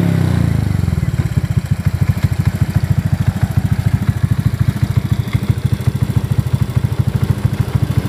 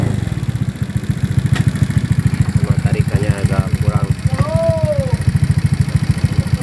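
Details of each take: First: Honda Beat FI injection scooter after valve clearance adjustment to standard spec for a noisy engine: starts and settles into a steady, even idle with a regular low thump. Normal idle. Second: Honda Beat FI injection scooter idling, before valve adjustment: quick, even ticking roughly three to four a second over the exhaust beat; noisy valve tappets from loose clearance, with the valves then set to standard clearance at top dead center.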